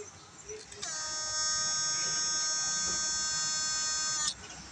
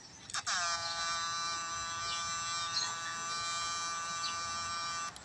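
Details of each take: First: Thai GM8999 transformer (low output, switch fails often) measuring 125 V with a bulb load, before replacing the 2 µF capacitor with a 104: steady even high-pitched buzz, normal transformer sound. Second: GM8999 transformer with low output and failing switch, fitted with a 2 µF capacitor instead of original 104 (0.1 µF): steady harsh high-pitched buzz; wrong capacitor makes transformer sing, restoring 104 quiets it.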